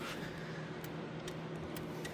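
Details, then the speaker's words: Farm equipment control-arm micro switch clicks, about four soft clicks in two seconds over a quiet hum, but hydraulic pump never starts; works intermittently; owner suspects a bad relay or pump fault, unconfirmed. "So the switch is clicking. Sometimes it works, sometimes it doesn't, and I don't understand why, but it's not engaging that hydraulic pump."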